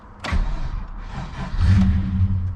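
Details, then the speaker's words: Cheap manual Holden SS Commodore that had to be towed home; with battery reconnected and CD stacker cycling, engine catches with a low rumble, runs briefly unevenly, then dies; stalls after starting, owner suspects alternator. "okay it's not freaking out the CD stck is carrying on but let's see if it starts it just dies"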